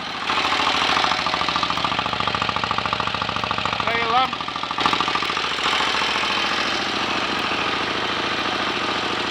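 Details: 1930 Royal Enfield Model K 1000cc V-twin motorcycle, kickstarted and left on a fast idle with lights on to check charging: loping, slightly uneven beat of three to four pulses a second, no knocks or clatter; normal idle.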